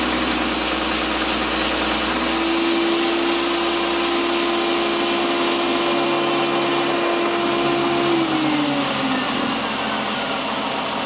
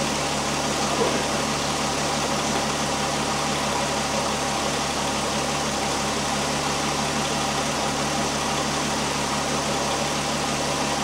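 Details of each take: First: 2001 VW Jetta GLX power steering being bled, engine running, wheel turned lock to lock: steady mid-pitched whining moan that sags away, typical with some air still in the system. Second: 2001 Volkswagen Jetta GLX, engine idling while bleeding the power steering, wheel turned back and forth: steady smooth idle with no pump whine or groan; no leaks, no air bubbles in reservoir, pump nice and quiet, normal operation.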